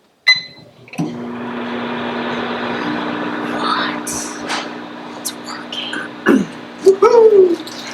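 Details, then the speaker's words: Newly installed Maytag over-range microwave, replacing an old Frigidaire Gallery: a few setup clicks, then a steady even hum with a light fan whoosh, running smoothly and quietly. "Now that sounds like a good microwave. It's so nice when things actually work. You can hear the quality difference."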